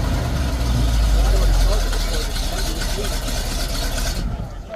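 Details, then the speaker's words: Old Ford F600 farm hay truck with a 370 engine, at a farm auction after being driven out: catches and settles into a deep, steady, even idle that sounds healthy and strong. Normal start and idle. "All right, guys, you heard a fire up right there. Sounds good, strong."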